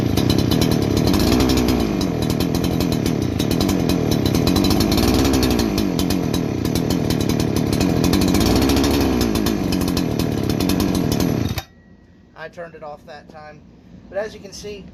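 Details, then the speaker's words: New Holzfforma G288 88cc chainsaw (Husqvarna 288 copy), bogging fixed: revs swell and sag about every three seconds, never settle, then dies; suspected air leak, later clutch-side oil/crank seal tapped in; erratic surging idle. "it's all over the place with that idling i got that i got past the bogging and everything but the thing is idling erratically just everything every part of that is mimicking that of an air leak"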